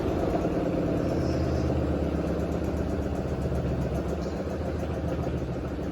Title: Hotpoint WD860 mega unbalanced with strange noise at the end @laundrylad2006